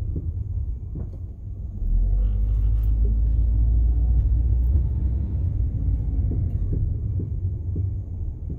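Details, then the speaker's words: Car rear passenger-side drum brake: low rolling rumble with faint uneven knocks; out-of-round drum knocking, brake shoes possibly not greased well enough. "today we're going to be looking at the knocking sound coming from the rear passenger-side drum break stay tuned does your drum break sound like this"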